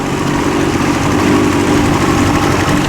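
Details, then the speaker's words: 63-year-old boat after ignition repair, running under way in gear on the water: constant smooth drone holding a steady pitch, no misfires or knocks; running cleanly, overheating unknown. "Sounds good. Oh, It's running smoothly. it goes in gear."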